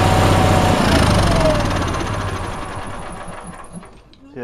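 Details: Onan engine after the fuel pump was moved onto a head bolt and new fuel line run: uneven, lumpy beat near four pulses a second that sags and fades as it stumbles; owner suspects it isn't getting enough fuel.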